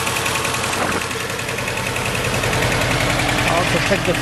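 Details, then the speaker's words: 2006 Mercedes A150 W169 at idle: rough, lumpy idle with an irregular stumble from cylinder 4. Spark, fuel and compression were confirmed OK; the misfire was an open-circuit injector 4 wire, fixed by bypassing the injector wiring. "Now we have spark, we have switching, it should work. still misfiring."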